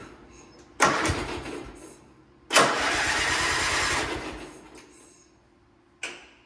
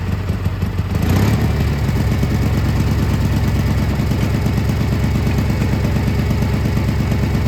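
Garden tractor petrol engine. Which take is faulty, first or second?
first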